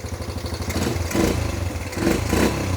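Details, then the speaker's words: Freshly rebuilt, nearly 40-year-old Yamaha YFM80 Badger single-cylinder quad warming up after first start: even idle, then three quick throttle blips that rise cleanly and drop straight back – good throttle response, normal. "does it have good throttle response"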